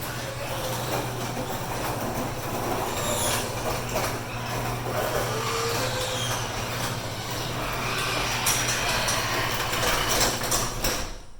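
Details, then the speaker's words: 16x8 and 9x8 garage doors at a coastal Florida house with salt air: loud metallic grinding and squealing over steady opener hum as the door runs down, from dry, rusted hinges and rollers needing lubrication. "her doors are seriously noisy need a little bit of lubrication"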